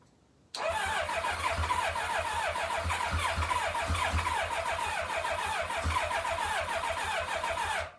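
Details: 1990 Kawasaki Ninja ZX-7R project bike on a test fuel tank, with a fuel leak and a loose oil line: steady starter whir with even compression pulses, about four a second, for several seconds, but it never fires; cranks but will not start.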